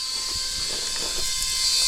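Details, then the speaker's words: Truck air system pumped to about 120 psi near governor setting: constant sharp hiss of air leaking from under the cab, traced to the cab leveling valve, whose arm broke off when fiddled with. "the annoying sound is the tank itself but it's actually leaking"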